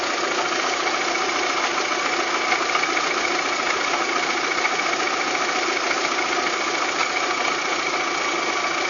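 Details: VW Golf 3 engine at steady idle with a fast, irregular ticking knock of about three or four per second over the engine note. It is an abnormal engine noise of unclear cause, in a clip tied to fitting cylinder-head parts.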